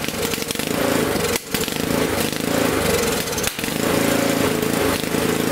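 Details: Honda snowblower single-cylinder engine after cleaning its gummed-up carburetor in place, started on choke: catches and keeps running at a steady, even beat with only brief dips; running fine now.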